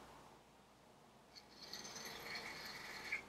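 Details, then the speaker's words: Smail switch motor (model railway switch machine with decoder) in programming mode, direction being reversed: soft quick whirring buzz under two seconds, goes halfway and back, no stalling or grinding; normal switch throw. "we're going to go ahead and hit right it's going to do its thing go half way go back alright so it should be have done now"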